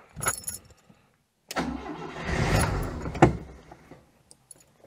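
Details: 1992 Oltcit, HT leads in place, Easy Start sprayed, no fuel seen squirting on throttle: short starter bursts, one brief stumbling catch that dies at once; won't keep running, owner suspects carburettor needle stuck.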